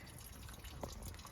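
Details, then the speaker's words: Toyota "Big Willy" engine off, refilling coolant after thermostat replacement with sealant gasket: steady trickle and drip as coolant leaks at thermostat housing seal; owner suspects seal thickness. "It sounds like it's peeing out. It's peeing out. That's even worse."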